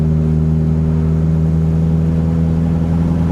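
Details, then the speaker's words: 1967 Austin Mini Cooper 998 with reconditioned twin SU HS2 carbs refitted in place of a Dellorto DHLA40: steady deep drone at 35 mph up a hill on light throttle, no misses; running smoothly. ">> And it um just feels smooth. >> Certainly sounds good. >> Yeah, I mean, we're just sitting on 35 mph and it's >> Now going up a hill. >> And I'm not pushing on the accelerator."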